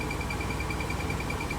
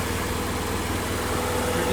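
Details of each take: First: Toyota MR2 at idle: rapid high chirps about ten a second that fade when clutch pedal is touched, from dry clutch release fork pivot in transmission. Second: Toyota MR2 (E153) engine idles steadily with a low rumble and no chirp; the clutch chirp from the transmission was cured by lithium-greasing the clutch fork pivot points.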